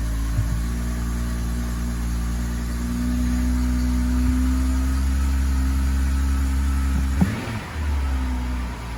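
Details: 2011 BMW X5 35i (E70, N55), 109,000 mi, warm engine after cylinder 6 fuel injector replacement with Bosch injectors fixing P0306 misfire and surging idle: steady, even low hum at idle, no stumble, hunting or surge, brief clunk near end; normal idle.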